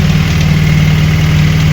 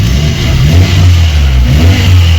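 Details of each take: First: VAZ 21099 petrol engine after repair, warmed up, idling smoothly with a steady, even low hum and no squeal or chirp from the belt; fan switched on at 101°. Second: VAZ 21099 after head and engine repair, warming up: engine revs up and down with a loose buzzy rattle underneath riding on the exhaust note; exhaust rattling underneath noted, likely a loose, leaking exhaust.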